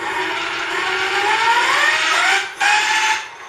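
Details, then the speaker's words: Electric bike geared hub motor with factory planetary gears, before a gear upgrade, spun free with the frame lifted: a smooth gear whine rising in pitch, with no rubbing or tapping against the bell housing heard. It sounds normal. "And that's what it sounded like before with just the factory gears. It, you know, it spins and it has some noise."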